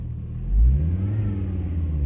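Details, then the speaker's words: 2002 Volvo V70 2.4T just after cleaning the throttle body, MAF and sensors following limp mode with codes P0068/P0221: the engine idles low, then revs cleanly once and settles with no stumble. Sounds healthy. "Oh my God! It's actually working! Tailgate open. It actually sounds perfect."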